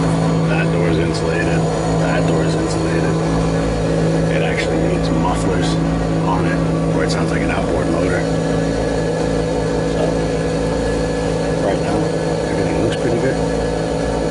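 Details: Lennox pulse furnace lighting on retry after failing the first trial, unused about a year, warming up before the blower starts; the fault was the ignition control, since changed. Loud, steady low rumble with rapid even outboard-like chugging, no stumbles; normal combustion.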